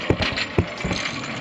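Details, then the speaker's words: Front 4WD wheel lifted and spun: uneven heavy clunks and rattles about half a second apart. The hub vacuum lines and actuator were tested first; the front hub is broken. "here's your problem broken Hub"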